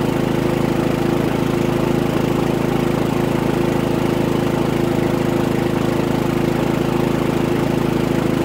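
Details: Harbor Freight Predator 3500 W generator, about 25 hours, new oil and NGK VPR7ES plug, running a 15K AC, six lights and a TV at 15.1 A, 1800 W, 121 V: steady, even drone at constant speed, no surging, misses or knocks; carries the load smoothly.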